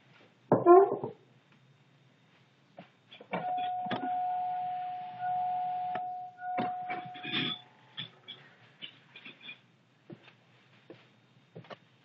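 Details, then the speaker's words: 2000 Chevrolet Suburban 5.3L, hard to start when warm, water pump recently replaced: at key-on with the engine off, a steady mid-pitched struggling hum of about four seconds among light clicks near the fuel rail; the owner can't identify the source. "I can I can hear that when I'm in the car to me it's a uh a struggling struggling noise or basically indefinable but um anyone knows what that noise is i' appreciate uh letting me know"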